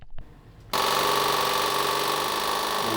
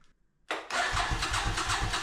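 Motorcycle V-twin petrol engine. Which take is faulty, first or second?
second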